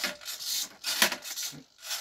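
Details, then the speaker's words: Ironman Mk45 flap driven by a digital servo from a servo tester, aluminium arm on a rail: short buzzing, rasping bursts with a gritty rattle each time the flap moves; typical annoying digital servo hum. "And you can hear that hum, the rattle, sort of the digital servo, which is a bit of an annoying thing with those"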